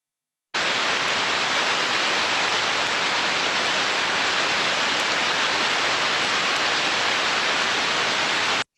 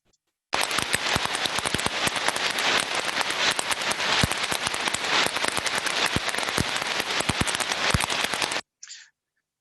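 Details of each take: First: Ultrasound, heterodyned, of a healthy idler bearing: smooth, uniform white-noise hiss without clicks or crackle, in a good state. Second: Ultrasound heterodyned recording of idler bearing number three: harsh crackling hiss with frequent sharp irregular clicks from rolling elements striking a defect; somewhat worse than bearing number two.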